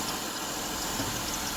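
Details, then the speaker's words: 2005 Mazda Tribute 3.0, about 124,000 miles, wrecked rebuild; coolant, oil and transmission fluid good: steady even idle with smooth mid-pitched hum, no misses, knocks or ticks; runs really good. "coolant's good checked everything yesterday cooling is good oil's good transmission fluid is good she runs really good"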